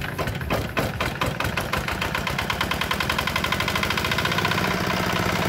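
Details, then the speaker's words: D10 R190 single-cylinder diesel engine after repair for hard starting and a gurgling/whistling noise behind the cover; starts easily, crisp steady idle of about four firing pulses per second, clean and even. "Bây giờ là khỏi không khỏi nhá máy nghe nổ và tiến độ thì rất là ổn định"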